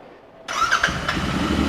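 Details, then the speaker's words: Royal Enfield Continental GT 650 twin that stalled, after relays and fuse were reinstalled: fuel pump primes, a short crank, then it fires at once and settles into a steady idle within a second; normal start. "bike it's going to fire there that's how important these relays are"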